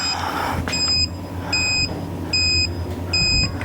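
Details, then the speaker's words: Electronic torque wrench on a 2019 Ford Escape front wheel hub bearing, tightening in 90-degree angle mode: four shrill, evenly spaced beeps about 0.75 s apart in a quiet shop warn that torque exceeded 110% of maximum. "Over maximum torque of 110%. Turn off, stop. Stop it. I get it."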